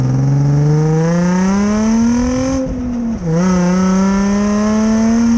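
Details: 2005 Nissan 350Z VQ35DE with stock exhaust while driving; engine note climbs with throttle, with a raspy, puffing edge under load from a big exhaust leak.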